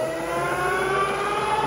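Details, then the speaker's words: Freshly rebuilt ZF 85A marine transmission, with electronic vessel control, from a late-model Volvo Penta, on the dyno at 1800 rpm with good cooler flow: smooth, even whine climbing in pitch at wide open, no knocks or grinding; healthy gearbox, normal running. "is 1800 on our dyno. Got good cooler flow, so we'll let it run for about an hour and make sure she's okay."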